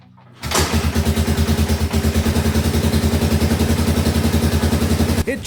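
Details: 1985 Suzuki DR600 barn find on its first startup: the single catches into a lumpy idle of about 90 beats a minute, then falters and stops when throttled. The owner suspects too little fuel and may adjust the throttle needle or main jet.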